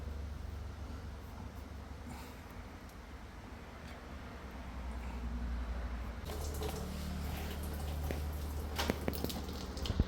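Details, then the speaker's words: Maytag washing machine after replacing the defective cold-water inlet valve, on a normal wash cycle: a soft steady rush and trickle of water entering the tub over a low hum; normal water fill, then the wash starts. "now you can hear the noise the water already coming to the tub now you can see the machine start already wash ccle"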